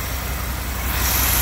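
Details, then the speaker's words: Chevy truck small-block V8 after new exhaust headers fitted: deep even chug at cold idle with no knocks or misses; running well. "oh you hear that not just chugs just chug it's a good truck"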